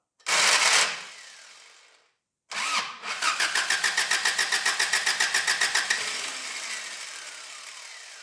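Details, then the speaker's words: 1985 Daihatsu Rocky 2.0L petrol with fuel poured into carburetor barrel and bowl: cranks, catches and chugs evenly a few seconds, then fades and dies; fuel starvation stall, carb suspected dirty and needing cleaning. "I am convinced that carb is not as new as we think it is it has to come off and it has to be cleaned out"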